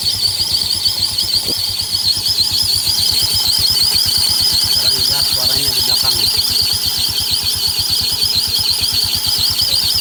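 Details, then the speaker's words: Yamaha Mio scooter CVT with the cover removed, engine idling. A shrill chirping squeal pulses about three times a second and clearly comes from the rear of the CVT, not the front; a worn rear pulley bearing. "Jelas banget suaranya. Bukan di depan, tapi suaranya ada di area belakang. Oke, kita lihat dulu nanti apa yang rusak, apa yang nyebabin berisik seperti ini."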